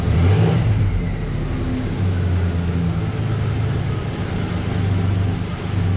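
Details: 1988 Dodge Ram V6 at first startup after the engine was reinstalled following months of work: steady, even low rumble with no ticks or misses and a level idle; normal idle.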